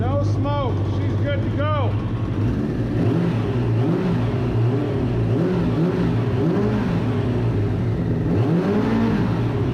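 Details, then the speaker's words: 1994 Suzuki RF900 with replacement engine after the original blew, first start, warmed up a little: runs steadily and picks up cleanly with each throttle blip, no stumbling or dying; healthy free revving. "I actually got it to start and this thing sounds sweet listen to this it's already warmed up a little bit"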